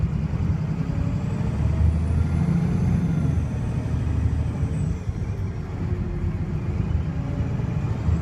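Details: Arriva North West VDL SB200 diesel bus (CX58EWW) under hard revving and kick-down: deep drone with an uneven, lumpy beat; sounds like a misfiring engine, cause unclear.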